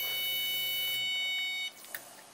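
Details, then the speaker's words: Daihatsu Midget engine swap, fuel system prime test: steady high-pitched electric fuel pump whine about 1.5 s then clean cutoff; normal priming. "can hear it all I mean as long as those injectors are closed there's no fuel leaking"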